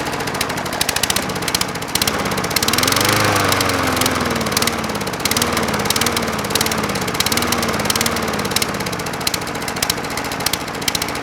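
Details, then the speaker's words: Craftsman 22-inch mower with a Briggs & Stratton 190cc Platinum engine, oil level correct: low idle hunting and surging up and down, running lean from lack of fuel rather than air. Fixed by inspecting the carburetor bowl. "So to me, that sounds like it's not getting enough fuel. If it wasn't getting enough air, like the air filter was clogged, it'd probably be more likely to blow some black smoke because it was getting choked off and running too rich. That sounds like it's running super lean."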